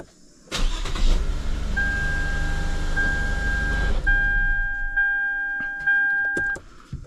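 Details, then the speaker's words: Car that previously would not start at all (no codes, battery good) fired up after the starter was smacked. Now a short, brisk crank catches into a steady idle with a chime sounding, started three times. "start up three times it wasn't starting before at all"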